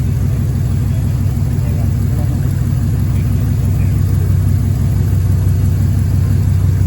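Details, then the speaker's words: 1957 Ford F250 with a 272 Y-block V8, just started after almost 30 years: a deep, even V8 burble at steady idle with no tapping or knocking, idling better as it runs; normal idle. "it's idling quite well actually isn't it it gets better and the motor sounds good it's not tappity or it's not there's no knocks or anything is there"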